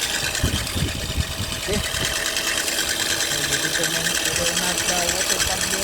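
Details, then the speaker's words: 2005 Suzuki Swift engine running with a fast, uneven rattle and chatter at about three per second that stays with the belt disengaged and slack; worn water pump bearing, not the belt, is the noise source. "that's how you determine guys the water pump uh bearing gun okay it's not the Bel it's the water pump making the noise as you can see as you can hear"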